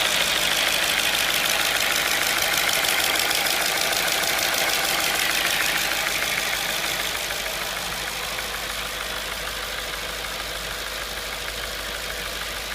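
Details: 2005 Audi B6 S4 at idle: fast even bright metallic ticking about three per second; suspected intake manifold flap clicking or rattling, not confirmed.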